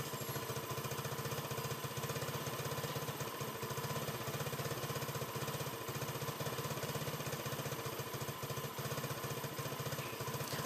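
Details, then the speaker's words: Yamaha Nouvo LC scooter that was losing throttle, stalling and sometimes not starting, caused by a dirty carburetor; after repair it holds a steady, smooth, even idle with no misses, knocks or hunting. "nghe rất chi là êm thì khi xe đã nấu lên rồi thì các bạn trẻ test thử bằng cách là các bạn trẻ đi thử xe giúp cho mình"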